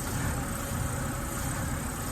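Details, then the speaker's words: BMW that was cutting out, Valvetronic motor worn and full of oil; uneven, lumpy low idle with a lopsided beat, mass air meter also suspected: rough running from worn Valvetronic motor. "now I can't get it a fault well as you can see it's running like a buag of"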